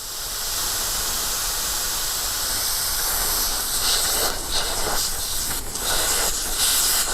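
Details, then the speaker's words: Mr Cool Advantage 12K ductless mini split heat pump install: steady loud hiss of nitrogen holding charge releasing as covers are removed from the line ports, left to bleed off; normal. "so i don't know if you can hear that but it is definitely releasing a lot of pressure so we're going to let that bleed"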